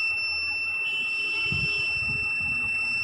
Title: Luminous eco Watt 850va continue beep sound and No main sensing problem